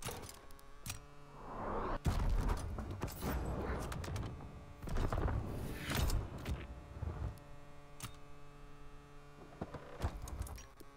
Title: Ground Loop Noise